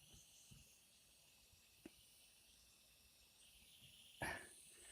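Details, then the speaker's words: Umarex Legends Cowboy CO2 rifle, powered by two cartridges in the butt, left to vent before the valve is reached: faint steady high hiss of escaping gas under handling clicks; CO2 leaking at the valve tube joint. "so I'm going to let that stop hissing before I lift that off just in case there's a a super boost of u"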